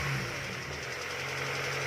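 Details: 2000 Honda Civic SiR running: steady engine hum with a fast, light knocking riding over it, unchanged over two seconds; owner questions whether the engine block is damaged, cause unknown.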